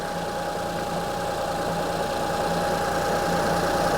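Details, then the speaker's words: 2005 Honda Odyssey with a flashing check engine light, misfire codes and severe shaking, idling: uneven, regular stumble about three times a second over a steady hum. A scope shows the cylinder 3 ignition coil is bad; the fix recommended is replacing one coil and six spark plugs. "okay so bad ignition coil yeah so this so the third ignition coil is bad I'm going to recommend replacing one ignition coil and six spark plugs"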